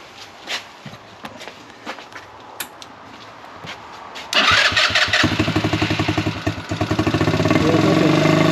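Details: Buggy single-cylinder after air-filter foam work on the carburettor setup. A few scattered pops, then it revs up hard with even firing and hardly any backfire, takes its revs, and hit the rev limiter on the last acceleration. It is slightly louder. Normal running.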